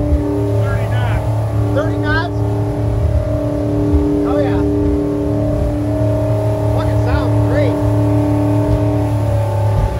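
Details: Mercruiser 8.1 marine V8 after repairing a broken cylinder 2 intake valve spring found via relative compression test: strong steady roar under load with no stumble or miss, music over it; engine healthy.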